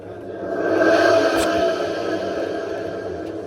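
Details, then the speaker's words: Washing machine drum spun by hand: rough gritty rumble swelling and fading from completely shot drum bearings needing replacement; spider checked and fine. "And like I said to you earlier, these bearings are shot. Listen carefully."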